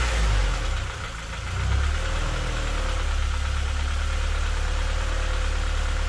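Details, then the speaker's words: K-swapped Honda Civic EP2, IACV disconnected and water line looped: now idles steadily but low with a faint loose knock about four a second, a new noise not present before; cause not found. "i think that sounds a little knocky but it idles now"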